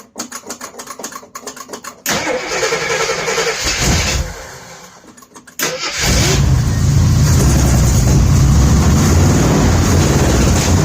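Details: 1978 AMC Jeep Cherokee carbureted engine after no-start fix: uneven cranking for two seconds, a stumble, then it catches and settles into a steady, even idle; first start belches.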